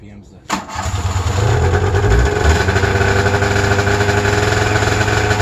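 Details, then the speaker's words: Snowmobile started on a cold 28°F morning. Starter catches instantly, then a fast, steady, buzzing high idle like the 700, smoking; normal cold warm-up speed. "it makes you feel better it sounds sounding just like the 700 that just means that it's cold they gotta get there"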